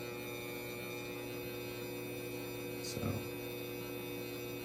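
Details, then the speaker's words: XW Pro hybrid inverter charging four batteries: quiet before, then grid enabled and a loud steady electrical hum with stacked tones builds; loud inverter hum, cause unclear. "I just want you to hear if I turn the Grid on here how loud this gets"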